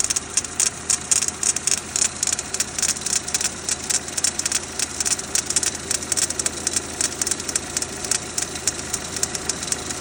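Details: Renault Duster 2.0 F4R, 2017, cold start: sharp irregular ticking knock about once a second over quiet idle, lasting about 2 minutes then stopping until next morning; cause unknown.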